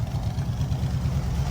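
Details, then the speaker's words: School bus with Dodge front end, after fitting power steering: steady even low engine rumble, no pump whine; power steering pump stopped whining, only slight whine when turning; normal running. "that pup quit it's whining it only does it a little bit when you turn other than that this sounds good"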